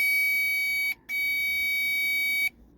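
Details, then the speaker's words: Power Probe tester while checking a bilge pump and float switch circuit: steady high-pitched beep, brief pause, then about 1.5 seconds more; warning tone, likely C8 short error. "I guess C8 is the error for short. So if you were to test something and it shorted, you'd know that."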